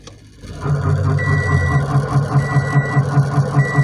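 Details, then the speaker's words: 2006 Toyota Corolla making a rough rhythmic grinding thump, two to three a second, once shifted into gear, with reverse beeps sounding and no noise in park; transmission or CV axle suspected, and the failed CV axle was found. "horrible noise right there really really bad"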